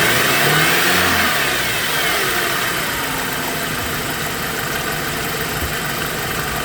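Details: BMW E90 engine whine: a thin whine rises and falls with revs over the engine noise, then fades as it settles to idle; belts and bearings being checked, cause unclear.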